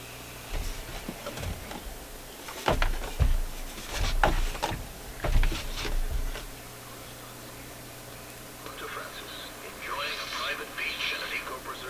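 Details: Zenith AM/FM transistor table radio on AM: sound crackles and drops in and out in bursts; suspected intermittent audio from dirty switch contacts, band button suspected, not confirmed.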